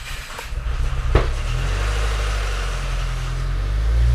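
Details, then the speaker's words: 2016 Subaru WRX first start after engine rebuild for rod knock, on jump pack; cranks and catches with uneven lumpy firing while oil pressure builds, then settles into steadier fuller idle, no rod knock. "Didn't sound great off the rip, but that sounds better now."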